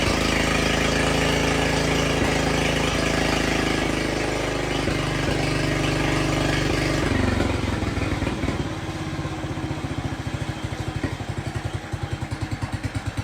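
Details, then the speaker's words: Jacobsen Chief 1200 tractor, cast-iron Kohler 301 single, after sitting about 3 years; aftermarket Chinese carburetor adjusted. Runs fast and even, then drops to a steady, regular idle thump with no stumbling. No smoke; normal idle. "But anyway, it runs good. Don't smoke or anything. Idle's nice."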